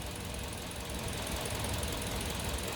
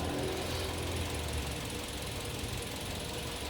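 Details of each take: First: Kia New Carens 2.0 LPI after ignition plug replacement: low, even idle holds steady with no stumble or miss; the earlier misfire is gone and the engine runs smoothly. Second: Kia New Carens 2.0 LPI at idle, no fault codes: uneven, lumpy irregular thumps with the ISC duty swinging up to 33% during the stumble; a misfire, likely ignition-related, though it never appeared under engine load.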